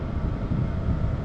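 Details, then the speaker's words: Hcalory TB Max diesel heater (IPX4) running after water sprinkled on it, water sizzling on hot exhaust pipe: low even exhaust rumble, no misfire or sputter, fuel pump virtually silent; normal running. "It still running just fine. Um, also, as again mentioned, that oil pump is super quiet now. It's it's virtually noisefree other than hearing the exhaust and stop where I'm at."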